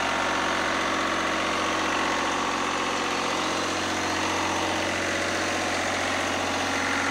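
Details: Lister #2 diesel generator just after fuel system plumbing from a former 20-gallon dry-sump oil tank, run to check for leaks (none, no drips): slow, steady thump around three beats a second, even with no stumbling; healthy idle.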